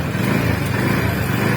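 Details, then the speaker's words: TVS NTORQ 125 scooter at 4318 km, running after repair of the loose magneto (flywheel) nut: short, even running with a steady low drone and no knocking or rattle. Sound is gone, engine healthy. "अब इसका sound सुनाऊंगा sound सुन सकते हैं थोड़ा भी sound नहीं"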